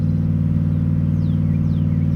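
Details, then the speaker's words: 2012 Ford F-150 5.0 V8 idling: heavy uneven pulsing rumble, random misfires, stalling; scan shows severe misfires on cylinders 5–8 (one bank) only, likely broken cam phaser and timing chain guides. "f-150 with a 5.0 liter v8 customers complaining of random misfires running rough stalling at times now i'm scanning this and five six seven and eight are all showing severe misfires"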